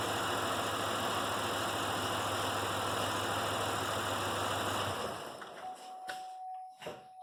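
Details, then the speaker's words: Pontiac Grand Prix with a dead misfire: it runs lumpy with a steady stumbling beat at idle even after the coil was swapped, then shuts off; traced to a failed ignition module. "now we're gonna see if it runs like it should so feels like it's still missing"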